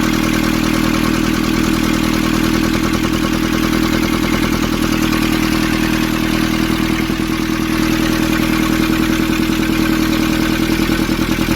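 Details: Nissan Urvan ZD30 diesel after its no-start was fixed by cleaning a black, dirt-clogged part: steady, even diesel clatter at idle with a regular beat and no misses or knocks; sounds healthy and settled.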